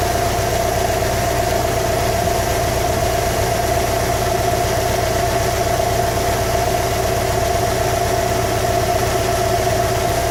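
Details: 2015 Subaru WRX STI flat-four at idle during engine knock troubleshooting: uneven tapping about four per second under the engine note; knock, cause not yet clear.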